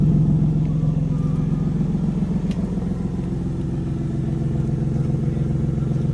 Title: What a Lexus GS300 cold start with an exhaust leak sounds like!